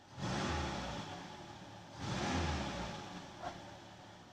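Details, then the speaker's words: Lada VAZ-2106 carburettor on petrol after float needle repair and slightly lowered fuel level, air filter housing off: two clean throttle blips rising and settling smoothly with no stumble; engine responsive and running fine. "Отзывчивость есть. Включенный бензин. В принципе, все отлично."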